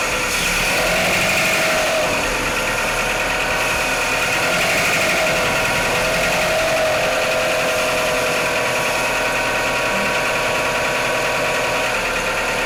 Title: Mitsubishi Outlander 4g63 - knocking sounds on cold start